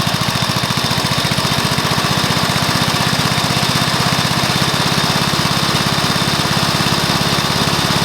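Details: Probably early-1984 Briggs & Stratton mower engine, first start after new piston, rings and valves to cure oil consumption from loose rings and worn valves: fast, very even beat, about eleven pulses a second, no misses or knocking; normal running.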